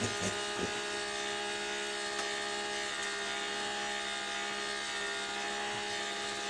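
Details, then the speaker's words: Andrew James 90-day cat feeder: the small gear motor whirrs thin and strained, struggling on batteries that tested low at 1.4 V; after fitting four new 1.6 V batteries it sounds much better. "So it sounds like it's struggling. Yeah. So I've tested the batteries and they were low, they were down to 1.4 volts."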